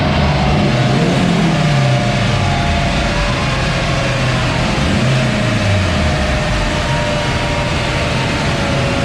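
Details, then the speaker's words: Honda Integra DC2 with K20 turbo engine, after hardwiring injector pins to cure a slight misfire: pulls hard and evenly all the way through under full throttle with no stumbles or misfire. "um all right guys as you saw she pulled all the way through and thank god because it is dark outside now so it was just dodging jets wiring really pleased to fix it"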